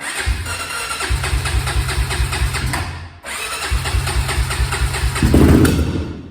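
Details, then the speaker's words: 2001 Honda TRX400 on choke at cold start: uneven, stumbling beat with brief near-stall, rough running and heavy smoke; previous mechanic didn't fix it, Chinese aftermarket carburetor fitted, cause suspected, not confirmed. "But yeah, man, the bike is running like outrageous. I don't know why the bike running. Like a lemon right now, y'all."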